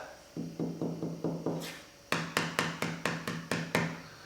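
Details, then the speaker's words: Veneer door with engineered stile and rail under about 1/64-inch veneer: tapping the bubble gives a hollow, drum-like knock; veneer delaminating from the core. "that's what it sounds like when the material is delaminating from the engineered stent rail beneath it"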